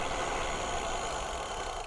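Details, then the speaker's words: Bicycle disc brakes after Squeal Out anti-squeal paste was applied, braking at about 10 mph, camera on a chest strap: steady wind and tyre rush with no brake squeal or ringing; quiet disc brake. "That sounded good. No sounds of brake squeal at all."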